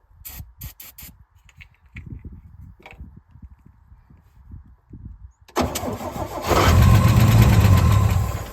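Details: 1966 Chevrolet C10 shortbed farm truck, last licensed 1979, no fuel coming from line: few cranking clicks, then engine catches, roars about three seconds and fades; fuel starvation, runs only on brake cleaner sprayed in carb.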